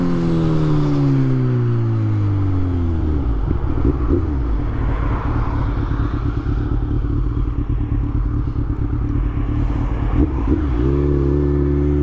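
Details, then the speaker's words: Kawasaki Z1000 motorcycle on its first ride of the season: engine pulls cleanly up through the gears, then holds a steady, even drone at cruise over wind noise; normal engine under load. "So I'm gonna shut up, let you guys have a listen to this thing, because listen how awesome this thing sounds."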